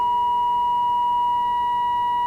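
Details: 1946 AWA 509M valve radio during alignment: a steady pure tone near 1 kHz with faint overtones holds an even level as a touchy trimmer, which shifts when pressure is released, is peaked for maximum; it is more stable when pushed down at final adjustment.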